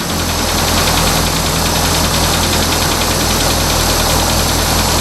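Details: 1980 Toyota Corona Wagon, 20R 2.2 L four-cylinder carbureted engine, revived after sitting for years; after a new mechanical fuel pump, new fuel lines replacing cracked rubber ones, and fresh fuel it runs steadily but lumpy, not idling smoothly yet: rough running.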